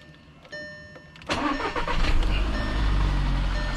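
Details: 2012 VW Jetta, first start after water pump replacement: quiet ticking, short crank, engine catches at once and settles into a steady, even idle; normal start, engine light on afterward.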